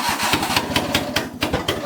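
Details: Suzuki Carry truck idling again after compression and spark plug troubleshooting, uneven sputtering pops about five per second, lumpy and chopped, flames out the exhaust manifold; misfiring badly, running on too few cylinders.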